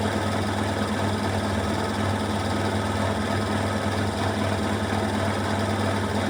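Loud steady rattle that throbs about one and a half times a second at full spin, a drum thrown off balance by the load.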